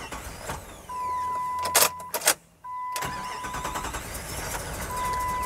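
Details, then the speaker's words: 1998 Jeep Grand Cherokee Limited 5.9 V8, 119,000 miles, abandoned 5 years, old injectors after ethanol fuel: catches after cranking with warning chime, then runs really rough and stumbling and dies; misfire from faulty injectors streaming instead of atomising. "oh yeah it's still rough okay real rough yeah it's running really bad yep and it's dead"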